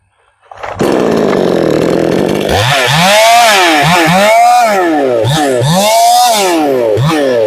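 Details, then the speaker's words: Chainsaw after richening the lean high-speed mixture: crisp clean revs rising and falling about four times, pulling smoothly without burbling; properly tuned, later held full power in a hard cut. "This little cheap saw, I was bowed up about as hard as I could be on that up cut, and it never even let up."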